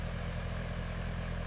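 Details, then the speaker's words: 1993 Toyota Land Cruiser 80-Series restomod with a new six-cylinder engine, first start after 33 years sealed in a bunker: fires on the first real try into a steady, even low drone with no knocks or misses; smooth healthy idle. "There it is, listen to that. 33 years of silence, and it just fired on the first real try."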